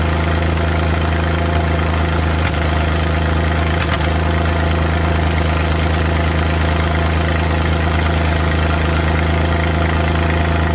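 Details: Suzuki Multicab F6A three-cylinder engine at idle: low steady idle broken at random by uneven "tak...takatak...tak" stumbles and taps of misfire; vibration also shown at 25% throttle; cause not stated.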